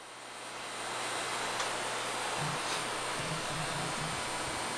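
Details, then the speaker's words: GTX 1070 Founders Edition GPU after ultrasonic cleaning and thermal paste replacement, first power-on on mining riser: soft steady airy whoosh as blower fan spins up and holds speed, no rubbing or rattle; fan works, no smoke. "The fan is on. That's a good sign. I don't smell any smoke."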